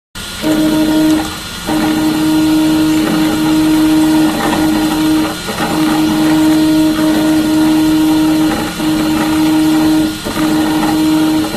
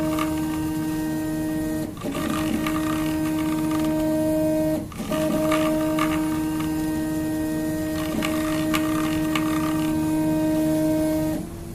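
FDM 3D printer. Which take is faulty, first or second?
first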